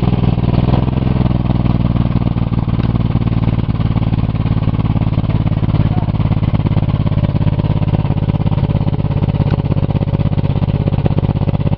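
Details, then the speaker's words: Buick 3.8 (3800) V6 that already lost a rod, oil pan refitted over holed block with little oil, revving to the moon on restart with loud uneven low clatter and rough firing; sounds like another rod thrown, heavy engine knock. "oh oh oh oh that rev to the Moon right away sound like it threw another Rod you hear I heard another cylinder"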